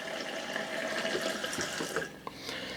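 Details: Bathroom sink faucet in a 2012 Rockwood RV during plumbing testing: smooth, steady hiss of hot and cold water running, no sputter or air bursts; faucet flows normally.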